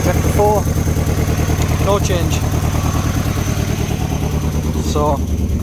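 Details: Mini Cooper idling after cylinder-head reinstallation, with an uneven, lumpy beat of about three pulses a second as one cylinder keeps dropping out; swapping injectors and coils traced the misfire to a failed ignition coil needing replacement.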